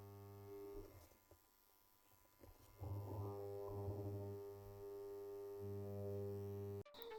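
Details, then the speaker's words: Small mains transformer connected directly to AC, before repair: loud, steady low hum/buzz from a large gap in the I-core; transformer hum from loose core laminations. "अब करना क्या है कि जो देख सकते हैं आई कोर है जो इसमें तो इसके जो बीच में कितना ज्यादा गैप हो गया है इसी की वजह से य आवाज कर रहा है"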